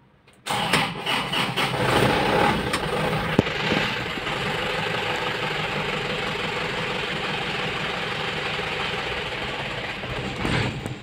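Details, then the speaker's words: Isuzu 4JB1TC diesel cranks, fires and runs roughly for several seconds, then dies on its own and won't keep running. A fuel delivery fault is suspected, and the fuel line and separator are being checked. "so chapin na lang natin naman nila dito is umaandar saglit lang tapos namamatay din kaagad"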